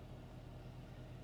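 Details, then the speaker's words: 2015 Dodge Challenger with 24,000 miles, after a rough startup, shifted through drive and reverse: steady, even low rumble with smooth regular firing and no knocks or ticks; healthy idle. "oh she sounds good she really does"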